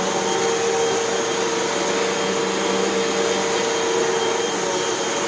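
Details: Hoover WindTunnel 2 Whole House Elite upright vacuum after repair (two brushroll bearings, new belt, cleaning, three feeder tube holes patched): smooth, constant motor roar with steady pitch, no rattles or surging; normal running.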